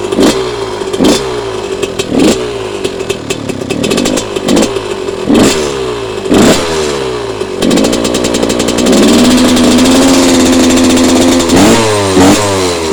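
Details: Yamaha YZ125 two-stroke, couple of hours on it, after draining water from carb following a no-start: sharp throttle blips then a held higher rev dropping back cleanly; runs despite water in the fuel.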